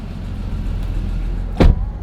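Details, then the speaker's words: Acura NSX NA2 after cleaning gunk from the throttle body with carb cleaner to fix the idle problem at stops; after a second-gear pull, then neutral and braking, the engine holds a steady idle with one brief clunk; check engine light still on. "I'm gonna jinx it yet but I think we fixed it except for the check engine light so second gear flooring it and then neutral and then brake and so far it's holding idle wow that was the easiest fix ever"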